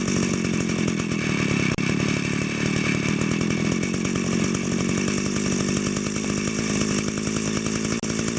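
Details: Echo grass trimmer two-stroke with a centrifugal clutch, idle screw set fairly high. It gives a steady, fast buzzing idle with an even, unbroken beat. Runs smoothly, normal idle.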